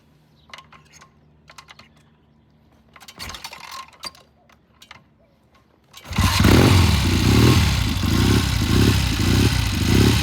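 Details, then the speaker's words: 1972 Triumph TR6 motorcycle during warm-up: starts well, but note surges and breaks up, popping and spitting in mid-range; raising carburetor needle one notch considered, cause unconfirmed. "started really good sounds really good but it it was popping in spitting every time he got into mid-range"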